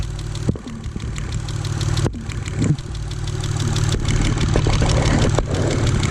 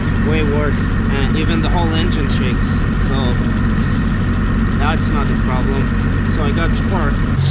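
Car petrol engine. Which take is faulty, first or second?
second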